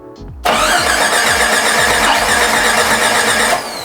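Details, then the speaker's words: Jeep 4.6L stroker, rebuilt engine while checking spark and top dead center: steady starter churn about four beats a second for three seconds, never firing; crank no-start, distributor timing one tooth off. "so the distributor the timing David came over helped me out a bit we just fiddled with the timing of the distributor a bit it was off one tooth"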